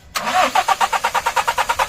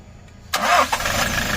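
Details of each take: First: Hino 200 series diesel (1GD/2GD) that won't start after sitting overnight, scan code injector driver circuit performance bank 1, wiring, relays and fuses to be checked: two cranking bursts with even compression beats and no firing. Crank, no start. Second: Hino 200 series diesel truck (1GD/2GD engine) that would not start after being parked; after scanning and clearing fault codes it cranks quickly, catches cleanly with a short flare and settles into a steady, even idle; normal start.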